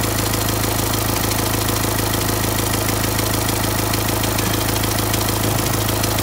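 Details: Renault Symbol diesel, a month after a complete engine rebuild, steady idle with a fast, even tick about three per second over the clatter; strange ticking, cause long undiagnosed, injectors were checked.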